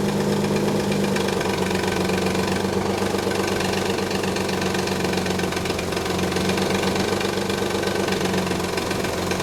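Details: 1991 Nissan 300ZX at idle: loose, uneven slapping rattle about four per second, fading after a minute of driving; collapsed timing belt tensioner let the belt flap, upper and lower idler pulleys also noisy; fixed.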